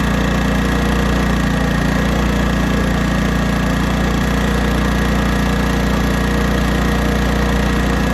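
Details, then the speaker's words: 1980s Honda generator after carburetor mixture screw adjustment, running under load: steady, even drone with no surging or hunting; tuned between too rich and too lean. "let's try it under load [Music] all right this is still running good under load this thing here I'm gonna call it done I'm calling tuned uh I found that sweet spot in between too rich and too lean"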